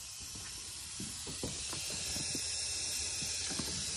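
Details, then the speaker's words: BMW N20 2.0T engine, boost leak test with shop air at about 17 psi through a turbo adapter: steady high-pitched air hiss with faint ticks; boost leak. "okay it's about 17 right now and you listen you listen all around for any really bad leaks okay I already hear something"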